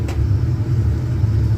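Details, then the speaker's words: Furnace ignition click, then a deep steady rumble with no rattles, squeals or surging, running normally after being rewired onto the half of the house that doesn't randomly lose power, ahead of 5°F weather. "Click I heard the click we got a furnace and she's running on the half the house that doesn't lose power randomly so it we'll stay warm tomorrow when it goes 5°"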